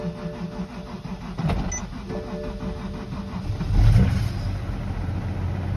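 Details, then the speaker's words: BMW E92 335i manual, started parked in second gear with e-brake up after the clutch failed to fully disengage on a canyon run: engine bogs and lugs unevenly with rough surging. Fine in neutral; dragging clutch is loading the engine. "that was the car in second was struggling um i have a neutral and the car sounds totally fine sounds normal"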